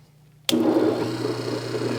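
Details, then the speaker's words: Hobart A200 mixer during rebuild: electric motor kicks on and settles into a steady hum with a rough, gritty rattle inside, probably from the motor's bearings. "you can hear that rattling happening inside of there and uh that's probably from the bearings inside of the electric motor"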